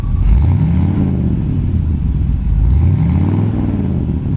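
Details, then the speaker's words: 1940 Ford Deluxe Woody Wagon with a V8, mild cam, Smitty mufflers and dual exhaust, heard from the rear: two clean blips rise and fall smoothly with a deep, burbling note and no misfire or rattle; normal revving. "I mean, rev it up a little bit so you can hear the Smitties and the dual exhaust. Let her rip."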